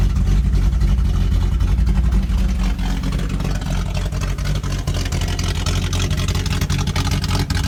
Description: 1978 Datsun L28 had a vacuum leak inside the brake booster.